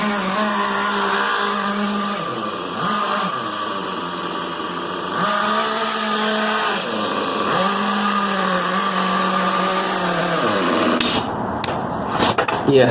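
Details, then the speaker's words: XTM X Factor 2004 nitro rock crawler with a new XTM 24.7 engine, low-speed needle just adjusted and possibly not warmed up yet. The high buzzing engine bogs, recovers, then dies, repeatedly cutting out and still needing fine tuning. "can see it just um cuts off a lot so i'm going to have to do a lot of fine-tuning once i go to the um the track i go to"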